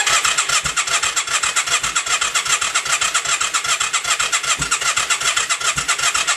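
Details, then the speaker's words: Yamaha XV535 after starter clutch replacement, battery charged, in neutral: steady starter cranking with no firing, occasional puff of smoke from exhaust; cranks slower on choke; will not start. "If I put it on choke, it cranks over slower, but the exact same thing does nothing."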